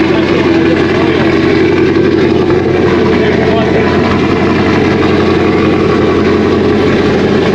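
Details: 2001 Trans Am WS6, 500hp LS1, first start since engine-dyno break-in, untuned with stock injectors and mass airflow sensor, GoPro audio: a steady, loud V8 idle with an uneven, lopey chop and no knocks or ticks, a normal cammed idle.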